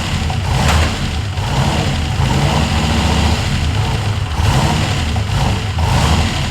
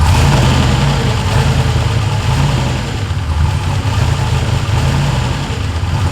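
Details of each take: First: Ford F100 with swapped turbo LS1 V8, restarted during first start: deep, uneven, lumpy idle that surges and sags. It runs rough; the owner suspects a vacuum leak or needed tuning, not confirmed. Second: Ford F100 with swapped turbo LS1 V8 (Holley), after the throttle butterfly stop screw adjustment to raise idle and ease idle air control reliance: steady, deep, slightly lumpy idle at even speed, no misses or knocks; normal idle.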